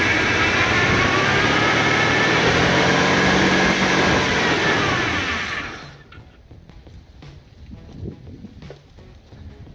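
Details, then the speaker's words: 1977 Ford Fairmont XC GXL 302 V8 after 12+ years stored, with the carburettor refitted and its bowls filled with fuel: idles low and lumpy with an uneven beat for five seconds, then shuts off; runs better but still not properly. "well it works which is great but that still doesn't run properly so I'll have to dig into that tomorrow"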